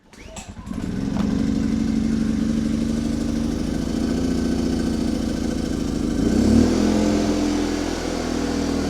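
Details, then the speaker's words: Milbank 2000 generator, a Yamaha clone, pull-started with ignition and choke on. It runs steadily, then abruptly dies with a low oil alert although the oil level is correct; owner suspects a bad low-oil switch. "okay it's giv a low oil alert a low oil alert let's check the oil put this under here in case there is oil spilling out huh plenty o oil there it's right where it needs to be so maybe we got a bad oil switch or something"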